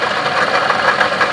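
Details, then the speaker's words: Toyota Camry at idle: a steady rough rumble with fast, even pulsing and no rising whine, unlike an alternator's whine that climbs with throttle; worn water pump bearing, though an idler pulley can sound similar. "this horse burns sound that water pump right there"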